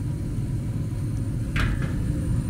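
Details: 80% gas furnace during maintenance, gas pressure adjusted up from 2.9 toward about 3.4–3.5 during combustion analysis; the burner gives a steady, deep, even roar with no flutter or popping, burning strong and stable.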